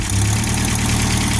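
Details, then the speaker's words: 1978 MG after a radiator upgrade, firing on at least three cylinders: a low uneven idle sags and labours close to dying and needs a touch of throttle to keep running; the engine is not getting hot; idle drops with a stalling tendency. "She's a little naughty. Ain't gonna lie. But listen to that, baby. Oh, and then she kicks right down and barely wants to run."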